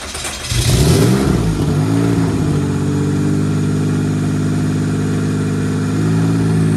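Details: Rear-wheel-drive Honda Civic race car, after its slow-cranking issue was worked on: engine catches, revs briefly, then settles into a steady even idle with no stumbling or grinding, running normally.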